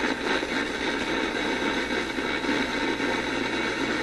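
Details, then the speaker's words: Grundig 2540 AM/FM/SW tube radio during repair after selenium rectifier lead found loose, on a wire antenna: FM output is harsh hiss with rough pulsing beat about four times a second and music buried underneath; badly distorted FM audio, cause not yet found. "See, I could imagine that that's music there. You could hear a little bit of a repetitive beat to it, and it's just sounding terrible."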